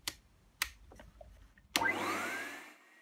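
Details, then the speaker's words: Numatic Henry vacuum: after switch clicks the motor jumps straight to a high, rising whine with no low-speed start. The oscilloscope shows no chopped wave, so the owner presumes the Hi-Lo PCB has failed (unconfirmed); it runs only at full speed. "typically when these things come on they come on in the low position if this board is working and the low position did the chopped wave so obviously it's not chopping it so presumably actually the board is gone in this case"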